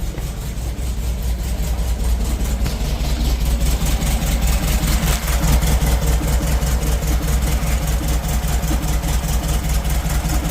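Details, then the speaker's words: 1972 Volkswagen Beetle at idle during oil change, just started: low throbbing idle with uneven lumpy beat about two and a half pulses a second; running a little rough but smoothing out. "Still riding a little rough right now. Okay, but it's on its way."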